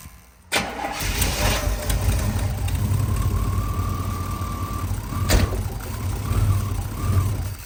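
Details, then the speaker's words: 1992 Chevy Blazer K1500 started after fuel pump replacement: engine idle surges up and down about once a second; the O2 sensor in the headers was found broken with stripped threads. "all right so if you guys can hear the truck kind of surging back and forth so I realized the O2 sensor was broken"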